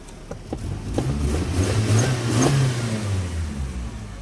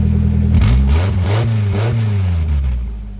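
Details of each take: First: Jeep exhaust after a rusted, leaking flange was repaired without welding using a bolt-on "Frankenflange" with jam nuts: the engine revs and settles to a smooth, even low rumble with no leak puffing or ticking; the remaining faint rattle is suspected to be the heat shield. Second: Engine blipped in neutral with the e-brake on, after the rusted exhaust flange was patched without welding but before tightening. It is quieter but still loud and raspy, with a puffing leak at the flange.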